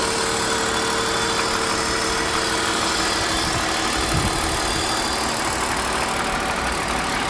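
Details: 1999 BMW E39 528i, M52B28TU engine, cold start idle: steady hum with faint rapid tapping about three beats a second; owner believes the knock comes from around the intake manifold, cause unknown.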